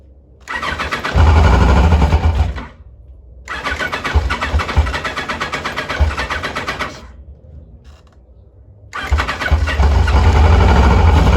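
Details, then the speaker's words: 1986 Kawasaki Concours ZG1000 four-cylinder, almost a quart low on oil: it catches in short surges, revs briefly, then dies and won't hold idle. Owner doubts it is running on fuel and suspects clogged carburetors. "I think it's just running on the cardboard though I don't think we're uh I don't think we're running on fuel we'll try one more time [Music] pretty good we're all clogged up in there I would imagine"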